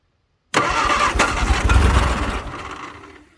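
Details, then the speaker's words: 1962 Vauxhall Victor, sat 25 years, old rebuilt starter: the engine turns over slowly and laboriously, about four turns a second and fading; weak starter motor. Engine tries to run but may be out of gas and has carb issues. "it is definitely trying and the start you might hear the starters really weak it's a I don't know why it's it's old and I've rebuilt the starter so at least it works now might not work well but it works"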